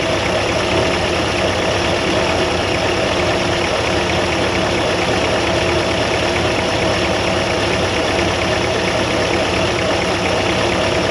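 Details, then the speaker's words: 1957 Chevy Bel Air convertible barn find, 283 V8, after an earlier noise suspected to come from the throwout bearing area; smooth steady idle, even rumble, no stumble or tapping: normal idle, sounds like a 283 should. "now it sounds like a 283 should"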